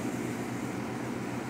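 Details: Chevy Silverado V8 after roller lifter replacement, which cured an earlier ticking noise: smooth, even hum with no ticking or tapping. Normal running.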